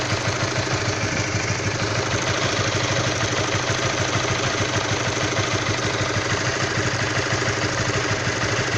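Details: Honda CB150R, new and all stock, cold engine at low temperature: steady idle with fast, fairly even rough ticking knock about three per second, cause unclear; engine knock at cold idle.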